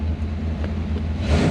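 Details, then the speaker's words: Abandoned K5 Blazer V8 revived with a squirt of starter fluid, showing 40–50 psi oil pressure: a deep, steady rumble that rises smoothly with a touch of throttle near the end. It runs evenly and sounds healthy. "But boy, she sounds healthy, doesn't she? Man. Got 50 pounds, 40 pounds of oil pressure. Man, she sounds good."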